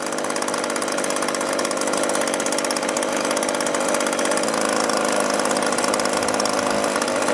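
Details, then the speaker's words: Echo two-stroke leaf blower that ran poorly, after adjusting the carburetor low, high and idle screws: a high buzzy note, smooth and even at steady speed. It runs cleanly. "the way this came it didn't run very well a little minor adjustment to the carburetor and it's running great"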